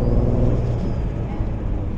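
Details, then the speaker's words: Car at idle, owner suspected massive exhaust leak; exhaust shop found no leak and said it sounds like running on five cylinders: low, lumpy, loping idle, rough running, probably one cylinder missing. "If it sounds obvious to you, but that idle does not sound good. Oh, can you hear that, guys? Yeah, it sounds horrible."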